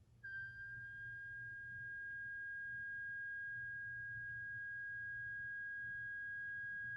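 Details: Rancilio espresso machine at morning start-up or after resting several hours: clean, steady high-pitched hum right after switch-on; support suspects an air bubble escaping, flushing with plenty of water to be tried, not confirmed.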